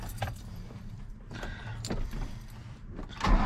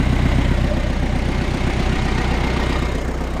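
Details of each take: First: Diesel ute, cold, unstarted for a couple days, after exhaust reinstalled; a few clicks, then it catches and idles lumpy, rising and falling about once a second: rough, hunting cold start. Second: Diesel ute started cold after the exhaust was refitted (fault first thought to be the turbo), not run for a couple of days, boost reaching 19 psi: even clatter about four beats a second, no hiss or puffing from leaks; healthy idle.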